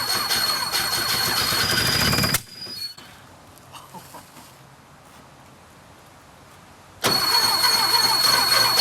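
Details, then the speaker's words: 1976 Porsche 914 with a VW Type 4 engine, first start after 30 years in a barn, with fuel gravity-fed. Even cranking at about three turns a second, a pause, then more; it never catches. The owner suspects it isn't getting proper fuel. "i'm going to give it a couple more shots here i just don't think it's getting proper fuel"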